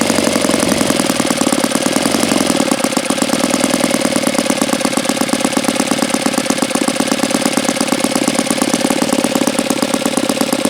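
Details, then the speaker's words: Saito FA-82a four-stroke model engine, low hours and not fully broken in: crisp, rapid, even popping with a smooth exhaust note; idles very well; normal idle. "But I mean, even not being fully broken in, this thing idles extremely well, as you could see."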